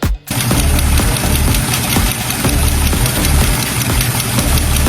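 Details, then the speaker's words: Steady idle with a sharp, repeating metallic tick from the cylinder head of a Porsche Panamera EA839 engine; the noise grew louder over time. A damaged valve rocker arm's bearing seized and rubs against the camshaft. "才这个声音，但凡是开 EA839发动机的车友都知道，就是缸盖里边的这个气门摇臂损坏导致的。"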